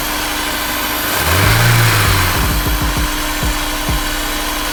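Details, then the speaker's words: Honda S2000 after replacing the timing chain tensioner (TCT): quick rev, then a smooth, even idle; the earlier knock-like rattle is gone, so the tensioner was the cause. "i don't hear that it's making that noise again from where i'm at i don't hear the sound that was making before so it turns out the problem was the tcp and we replaced it"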